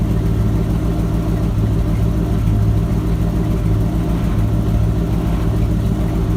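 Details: Ford F-250 with 7.5L 460 big-block V8, after replacing the failed starter bypass solenoid that caused a no-crank, no-start: deep, smooth idle with an even low rumble and no clicks or stumbles. Normal idle.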